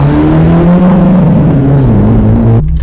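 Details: Porsche 924 Turbo under full throttle on the old hacked-up exhaust before the new muffler went in: raw, booming roar climbing in pitch with nothing softening it, as the cat is hollowed out and there's no muffler.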